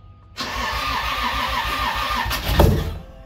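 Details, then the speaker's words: 1995 240SX, stock non-VVTi 2JZ-GE block with VVTi head, BC 276 cams, ECUMaster ECU, wideband reading: cranking catches into rough, surging, stumbling rumble that fades; first start runs super rich even without throttle. "did i give a gas no it's super rich okay okay do it again"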